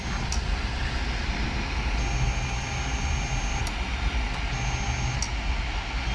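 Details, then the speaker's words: Ender 3 Pro with ChowThink ball screw upgrade (Z steps set to 800): two short even motor hums while autohoming, no grinding, knocking or skipped steps; Z axis moving smoothly and quietly. "Everything's moving pretty good. It's not loud either. You can't hear the ball bearings in the ball screw doing what they do."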